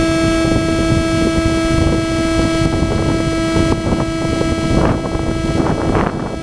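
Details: GoPro audio on a DJI Phantom 2 with Zenmuse HD-3D gimbal: a steady, high, constant-pitch buzzing whine over the recording when the camera is plugged into the gimbal, i.e. electrical interference in the audio.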